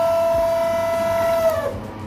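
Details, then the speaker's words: Large LG microwave heating a dish of dal, making a loud steady high-pitched hum while running; cause not yet known before it is opened up. "है तो बहुत तेज आवाज आ रही है तो मैं इसको भी खोल के चेक कर करता हूं कि इसमें क्या प्रॉब्लम है क्या नहीं है"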